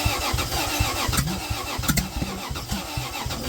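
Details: Toyota 2JZ in a Geo Metro, home-built ignition (Chrysler slant-6 distributor with 2JZ gear, GM HEI module, Ford Duraspark coil), first start: uneven, lumpy bursts with only cylinders 1 and 6 firing, as the distributor was set for counterclockwise rotation.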